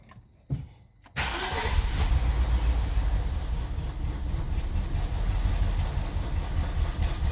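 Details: 2003 BMW 745Li E66 cranking and catching, then shaky uneven misfiring idle before dying; camshaft position sensor and misfire codes with fuel cutoff on cylinders 8,3,7,6,4, began after new plugs and coils; cam sensors suspected.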